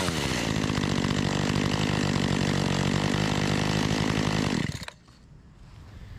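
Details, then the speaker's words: Makita EA3200S chainsaw, not started after a year of storage; steady, even two-stroke buzz for about five seconds then clean shutoff: running normally. "so it sounds pretty good Crank It Up just one more time and then we will move"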